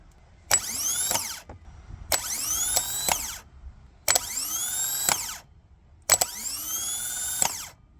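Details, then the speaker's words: New 1.6 kW 10-tooth replacement starter motor for Toyota Prado 120 series 4.0 V6 petrol, bench tested on 12 V: four sharp solenoid clacks, each with a clean whirring spin-up and smooth wind-down; normal starter operation. "There we go. That's how it should work. So this is a working stagger."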